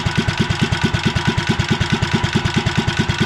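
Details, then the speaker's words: REO Trikeabout small single-cylinder engine idling cold at about 550 RPM on the cam while warming up: slow, steady thumping with no misses; normal cold idle. "It's really cold, so that's why it's running the way it is."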